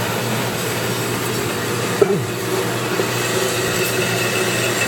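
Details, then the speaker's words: Unused Turn Pro 10x17-inch belt-drive horizontal band saw, 220 V 3-phase, with built-in coolant system running: steady even whir from blade and drive, one brief early knock, no grinding or squeal; runs fine. "It has a built-in cool system that does operate when we turn it on."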